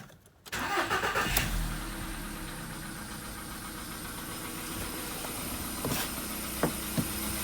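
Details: VW Polo sedan, 101,705 km, cold start with engine not warmed up, oil slightly above mid-level; a thin high whistle rises briefly over the idle, then goes away; new whistle, source unknown.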